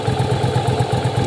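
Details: Yamaha Virago V-twin, parts-bike restore/rebuild for a cafe build, idling after fire-up with ignition timing confirmed by strobe: steady, loping twin-cylinder thump, about eight pulses a second, even and unbroken; normal idle, timing right.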